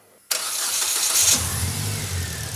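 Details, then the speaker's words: Old Toyota Hilux newly built with a turbo and running on ethanol, started after fitting the last missing pedal: cranks, catches immediately, revs briefly, then settles into a smooth, steady idle with no misses or knocks; normal start and idle. "Sounds smooth. It does. [Music] Yes. Oh, so good. Sounds so good."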